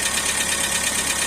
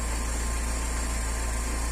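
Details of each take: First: Astra with oil light staying on and hydraulic lifters drained, restarted with a weak battery: fast, light ticking over a hissy idle, steady with engine speed; lifters still tapping but much less as they refill. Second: Petrol car engine idling after an oil warning light and lifter noise problem was fixed: smooth, even low hum with no valvetrain ticking; check-engine light still on for an unrelated issue.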